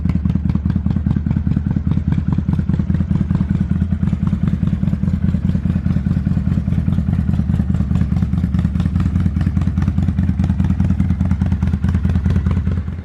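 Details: 2005 Kawasaki Vulcan 800 quick startup before sale: deep, even V-twin loping idle, no knocks or misses, steady until shut-off; normal idle.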